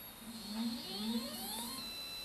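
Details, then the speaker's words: Skywatcher NEQ6 Pro mount, RA axis slewing at maximum rate 9 after the belt-drive mod and worm adjustment; a smooth rising whine with no grinding. This axis was the worst before, and the grinding is now gone. "this was the worst axis before all of the grinding noise is gone and everything's moving smoothly"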